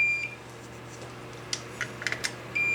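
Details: K7000 25-inch arcade monitor chassis that blew fuses: solid high continuity tone on both rectifier diodes D20 and D21, dead short, blamed on hookup without an isolation transformer, which likely also took out the HOT.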